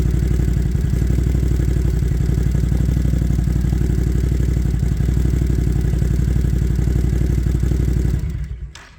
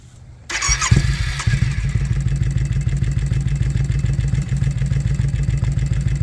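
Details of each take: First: Once-ticking engine after new spark plugs and a new idle air control (idle bypass) valve: it fires first try and idles steadily at about four beats a second, with no ticking in the airbox and no longer firing on one cylinder. Normal idle. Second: Twin-cylinder ATV: starts and settles into a lumpy, uneven low thumping idle, seemingly firing on one cylinder. The earlier ticking from the airbox is gone. A new idle bypass valve is still to be fitted; cause not confirmed.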